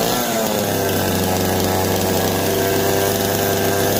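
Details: Jonsered 425 and 490 chainsaws running again after revival, choke off and getting oil. A loud, steady two-stroke buzz with an even pitch and no stumbling or misfire.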